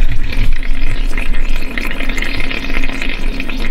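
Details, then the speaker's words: 2016 Chevy 1500 5.3 with EVAP leak code, vent test, under truck: irregular wet gurgling and bubbling with faint hiss over low rumble; soapy water bubbles on top of fuel tank at cracked sending unit. "I took a little bit of soapy Luger as they say because I could hear it hissing back here on top of the tank"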